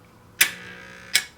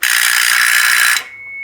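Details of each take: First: NuTone 478 apartment intercom door release held up close to the mic, vibrating on the desk: two crisp single clicks about three quarters of a second apart with only a faint buzz; normal, correctly working door release click. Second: NuTone 478 apartment intercom door release, mechanism missing its suppression diode: harsh rattling buzz with a thin high whine, briefly cut then back; door release buzz rattle, technically wrong operation.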